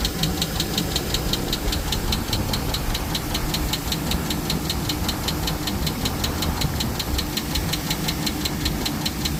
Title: Blackwidow Exhaust 💯 lifter tick 🤮 changes coming soon 🤫 #chevy #silverado #blackwidow #liftertick